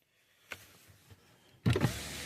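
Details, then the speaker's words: 2013 Dodge Avenger, key on but engine not started because it has no oil: soft click, then window motor hums up smoothly with no grinding or stalling; power window works normally. "Power window. Power mirror. Power lock. All those seem to work."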